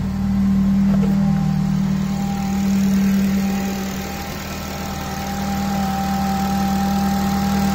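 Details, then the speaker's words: Honda FN2 with K20 engine, first start-up after refitting the intake manifold and J35 throttle body and installing a new oil catch can and homemade air intake: a smooth, even idle with no ticking or hunting, and no leaks. "Perfect. Running perfectly, no issues."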